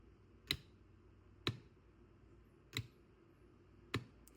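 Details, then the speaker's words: Golf cart solenoid bench tested on a ~30 V supply with test light (coil voltage drops to ~18.8 V when pulled down): four sharp, solid clunks a second apart as the plunger engages; suspected intermittent solenoid. "It's between 299 and 30 volts. But you can also hear the clunk."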